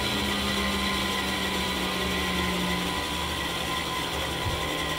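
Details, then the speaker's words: Fujitsu M2294NU 14-inch Winchester hard disk from a Paintbox, suspected bad bearing: steady even whir with fixed hum tones and light ticking, no grinding; not particularly noisy, healthy. "Okay, I think that was a fairly reasonable uh reasonable test. Um doesn't sound particularly noisy to me, that."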